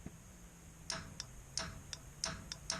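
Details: 1956 Chevy Bel Air with newly installed line lock: sharp crisp clicks, spaced and in quick pairs, against a quiet background as the line lock solenoid snaps in and out normally.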